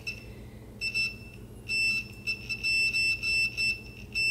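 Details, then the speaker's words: Adjustable normally closed pressure switch for a boost cut, tested on a homemade boost leak tester at about 20 psi: as pressure bleeds off, buzzer cuts in and out irregularly about once a second; switch slow and intermittent to reclose. "it doesn't start beeping again for quite a while and it it's like really intermittent if it wants to come back on or not which it's bleeding pressure so that might make sense"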